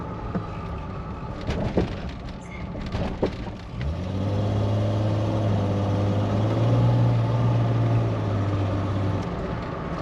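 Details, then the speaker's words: 1999 Jeep Wrangler TJ, Dana 35 rear differential rebuilt after earlier bearing install errors, road test: steady low drone building smoothly while pulling away and shifting gears, no whine, howl or clunk; differential sounds healthy. "sounds really Wow. good, guys. Shifting through the gears nicely too."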